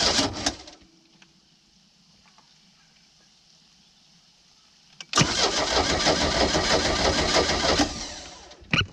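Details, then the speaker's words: Old boat, unknown condition after sitting, little fuel added: about three seconds of steady cranking with no firing; crank no start, owner suspects rusted cap, rotor, points and condenser. "okay all right so at this point it's not starting but I know this thing has the cap rotor points and condenser in it and from sitting it very well could be rusted up"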